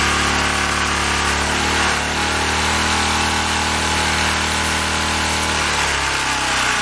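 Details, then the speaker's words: Ex-cell VR2500-1 pressure washer, Briggs and Stratton engine after rebuild, carburetor rebuild and governor reset: steady high buzz near 3700 rpm as specified, pitch eases slightly to about 2900 under load and recovers evenly; governor holding speed properly. "okay it's running at a like top it looks like 3700 as specified and that it's not a high load that's somewhere like around like 2900"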